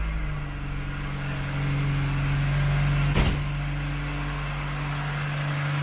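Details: Mk1 Golf Cabriolet started on the choke after not running for a while, fuel pump replaced with an electric one: steady low idle with a light, regular ticking from slightly noisy tappets.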